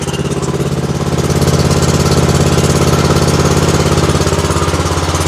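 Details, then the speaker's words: Exmark zero-turn mower with Kawasaki twin, hard to start and low on power, with a sticking choke; lumpy loping idle, heavy beat about three times a second, running on one cylinder, misfire from a fouled spark plug. "the joke was sticking y'all hear it she's only running on one cylinder"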